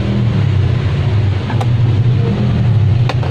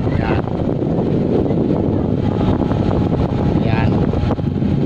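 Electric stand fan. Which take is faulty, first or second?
first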